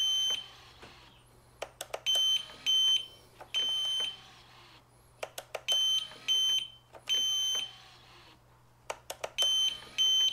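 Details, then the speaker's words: Piaggio MP3 400 after repair of suspension-lock warning beeping: ignition on, crisp clicks with short high beeps in even groups for each lock/unlock cycle; suspension locks solidly, working properly. "włączamy stacyjkę blokujemy trzeba zwrócić uwagę na to czy będzie się o elegancko blokuje się cały system motor jest sztywny więc jest wszystko okej"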